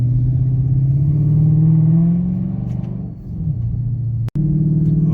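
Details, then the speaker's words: 2013 Dodge Charger 5.7L V8 after replacing rear wheel speed sensor for codes C0037, C212A, C2100, C2101: strong even burble rising with throttle on test drive, no knocks or squeals; warning lights cleared, engine healthy. "it sounds healthy"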